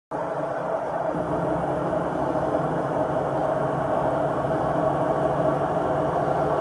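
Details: Samsung WW80J5555FWEU 1400rpm washing machine, 6 years old: even low rumble with a dull hum throughout the spin and no knocking; worn drum bearings suspected, not confirmed.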